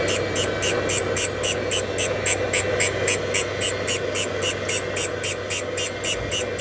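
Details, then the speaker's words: Valve refacing during a GMC 302 inline-six rebuild: hissing grind coming and going about four times a second as the valve turns, the stone hitting then missing a dark spot on the face, showing uneven contact until the face is fully shiny. "And you You hear it in the grind. You know, when it goes past and going round and round. That's hitting and then not hitting. That black spot it's missing it."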